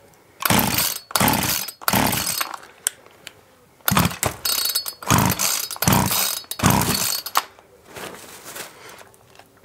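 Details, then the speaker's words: Mac 441 chainsaw after carb adjustment, choke open: repeated half-second firing bursts dying after each pull, catches but won't keep running; spark confirmed, fuel problem suspected. "my have to take it apart see what we've got in here but then I can't read it did fire so I wonder if it can't be a fuel in trouble"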